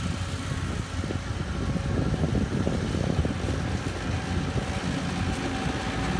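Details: 2013 Walker T23 commercial mower, 23 hp Kohler twin, back mowing after years in a paddock and a new hydraulic line: steady, throaty low drone holding speed under cutting load, no knocks or stumbles; healthy.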